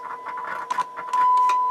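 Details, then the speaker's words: Sansui R-606 budget stereo receiver on tape monitor one, about 18 W idle draw: audio crackles, cuts out and bursts back as the volume slider moves, on both channels and worse on the right. A dirty, scratchy volume slider potentiometer. "You hear how bad this volume slider is."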